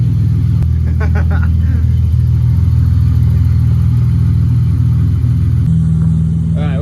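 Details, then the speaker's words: Free BMW given as "ran when parked," started and running but smelly, and it does not move: steady, even engine hum with no tapping, knocking or grinding; engine sounds mechanically healthy. "oh that sounded wonderful all that clunky was well now that we know that runs"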